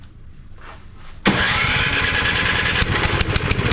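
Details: Cub Cadet 2X 24 IP snowblower with an MTD Powermore 243cc IntelliPower engine, after its fuel was drained and the carburetor cleaned, primed a couple of times; it fires after a couple of faint pulls and settles into a steady, even run with no surging. Normal running.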